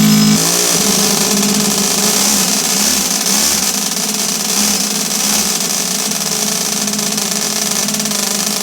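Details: Toyan twin-cylinder four-stroke model engine in a Tamiya high-lift build, on start-up: loud, crackly twin-pipe exhaust at a steady tickover with no misses or knocks; idling nicely.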